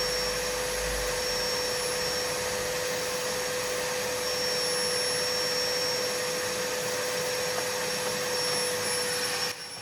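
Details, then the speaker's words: Numatic Henry HVR200 vacuum after repair with homemade motor brushes, filter fitted, running outside to wear in; a winding may be cooked. Steady even whine at constant pitch, though suction feels weak, like the low setting. "It does suck. It just cleaned up the table. Doesn't sound It doesn't like feel like a strong suction. It's like it's on the low bit of the high and low."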